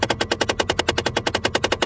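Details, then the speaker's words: Nissan Frontier, switched to fresh-air circulation: rapid even clacking about nine per second from behind the dash as the actuator drives the recirculation door past its stop; fix is a zip-tie stop limiting door travel. "There you go. There's the problem once again."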